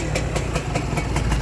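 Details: Honda NSR two-stroke motorcycle, square-headlight model, reportedly freshly rebuilt then parked several months, idle slightly raised: crisp ring-ding beat about five pops a second, steady and even; very quiet, idling healthily.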